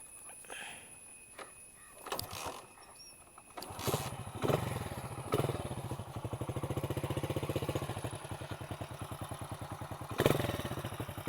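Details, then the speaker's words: Restored 1999 Hero Honda Splendor single-cylinder with new steel exhaust: clicks and a kick start, then a steady even low putter with clean exhaust beat; normal running. "അപ്പോൾ നമുക്ക് ഒന്ന് എക്സോക്സിൻ്റെ sound കേൾക്കാം. പുതിയ സാധനമാണ്, പക്ഷേ ആ സ്റ്റീലിൻ്റെ സൗണ്ട് നന്നായിട്ട് വരുന്നുണ്ട്."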